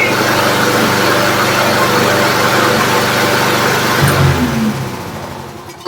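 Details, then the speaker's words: Roadside-found Troy-Bilt push mower after carburetor removal and cleaning with pipe cleaners, started with starting fluid: single-cylinder engine runs strong and even at full throttle, then winds down smoothly at shutoff. Normal running. "Give it a little starting juice. WOAH! SOUNDS LIKE A RUNNING MOWER TO ME."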